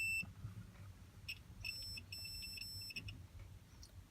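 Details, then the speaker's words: 2002 Toyota Sequoia horn fault, meter on body ground probing steering wheel ground point while turning the wheel: beep cuts in and out unevenly; intermittent steering column ground, not the clock spring as first thought. "Steering column, where ground's at, wherever that is, I still gotta look for it. It's not grounding right. You turn it."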